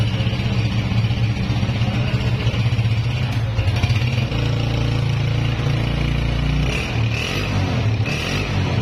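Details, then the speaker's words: Honda CG 125 (2011 model) single-cylinder after repair with a new piston fitted, after heavy smoke and extra engine noises: steady even idle with deep exhaust note, no knocking or misfire, silencer smoke now stopped; normal running. "आप देख सकते हैं silencer से smoke आना भी band हो चुका है अब पिस्टन न्यू डाला है"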